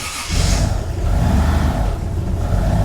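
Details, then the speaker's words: Nissan S14 240SX with swapped 1JZ VVTi, BC 264 cams, Borg Warner turbo, cold, throttle held to idle: deep steady rumble with faint rough scrape, thought to be from the head but stops when pressing the front timing cover; harmonic balancer rubbing timing cover. "I thought was coming from inside the head but press on the front timing cover goes away so it is what I thought it was"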